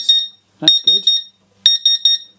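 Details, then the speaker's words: Laser cutter water chiller that had failed, opened for repair, powered from a bench supply: high-pitched beeps in groups of three, about a second apart, keep sounding as lights come on; chiller alarm still active, cause unclear. "right let's put some power in i think the alarm is still going to go off but uh we should when i turn it on see the lights"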